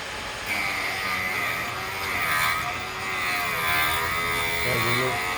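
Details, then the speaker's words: MRCM/Vevor drill bit sharpener grinding a larger relief angle after the holder pins were moved down. A steady high whir and even rasp as the wheel cuts; the bit gets hot. Normal relief grinding, with the bit flipped between sides. "really hear it taking off some relief. Flip it around."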